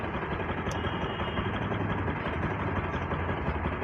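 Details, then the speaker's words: Carbureted vehicle, fixed coolant temperature sensor connector; ECU fan relay wire shows no ground signal: smooth, even idle, steady pulse about three beats per second, no ticks or knocks. Normal idle. "வண்டி ஐட்லிங்கில் தான் இருக்குது. வண்டி rice பண்ணுறேன்."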